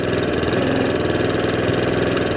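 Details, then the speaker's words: Allett Kensington mower with Kawasaki FJ100 engine after carburettor cleaning: even, steady low-speed putter with no rise and fall, no hunting or surging at low or top revs, running smoothly again. "no hunting and surging. Top end revs, no hunting and surging. Running as absolutely sweet as a nut as the very first day it was"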